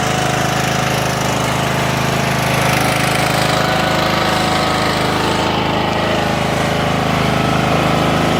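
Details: Craftsman LT1000 riding mower running after electrical rewiring: steady drone with an even firing beat and a constant tone, no misses or knocks. Runs normally.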